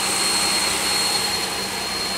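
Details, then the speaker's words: 2001 Pontiac Aztek GT after engine rebuild, idling: steady high-pitched whistle over the engine that fades when sprayed at the plenum gasket and quiets when throttle opens; vacuum leak whistle at the plenum gasket. "that's kind of what got me the thinking that it's a vacuum too because the last video that I did the we when you open the throttle desktops there's less vacuum yes it's even quieter it's not even as loud as it was"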